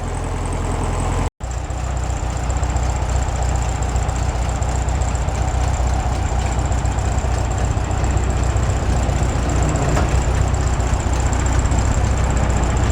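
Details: 1967 VW Bug air-cooled flat-four after oil-leak repair with engine gasket set and belt re-tensioned: steady, even low idle with a smooth regular beat and no knocks or ticks; sounds good and quiet; normal idle.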